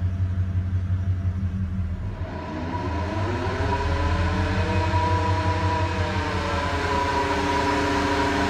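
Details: 2001 Dodge Ram 1500 4x4 idling in 5th gear with the wheels spinning and slight wobble and play: a loud, steady low drone from the rear with a rising whirring overtone as the wheels spin up. Owner suspects a bad differential, not confirmed.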